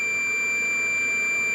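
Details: Steady unbroken continuity beep from a multimeter on a Beretta/Riello/Carrier boiler board relay (error A01) with its 24 V DC coil energized: the good relay's contacts close normally.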